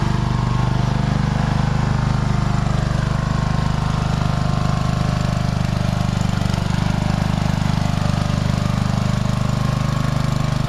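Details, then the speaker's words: Old tractor on a test ride, choke return spring not yet installed so the choke kept closing and it nearly died a few times: steady low chugging beat about three and a half firings a second, no misses; now running well. "Sounds like it's running really good now, folks. Wow. Oh yeah. Running good."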